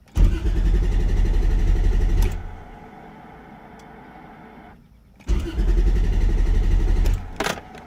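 Two bursts of steady starter cranking, about four beats a second, with no catch or firing; a hot engine that cranks but won't start.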